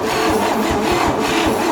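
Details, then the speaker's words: 1956 Chevy truck farm-find engine cranked on starter via 40-year-old battery cables: slow, labored, uneven heavy pulses about four a second; starter struggling to turn tight engine, rust in cylinders rather than compression suspected. "And I don't know that it's compression as much as it is rust in the cylinders."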